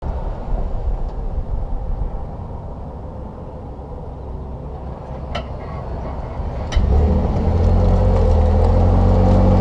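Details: 2021 Ford F150 PowerBoost Lariat hybrid: a couple of dull clunks through the cabin when decelerating or braking to a stop and when accelerating away, followed by rising drive hum.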